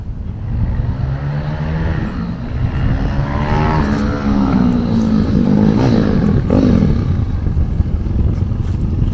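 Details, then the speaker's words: Honda CT70 Trail 70 K0 with a swapped-in 212cc engine replacing the 140cc: a loud single-cylinder exhaust pulling hard through the gears, lifting the front wheel in second, pitch rising then dropping at shifts with no knocks or rattles; healthy under load. "oh if you sound SS great man sounds so good so good really"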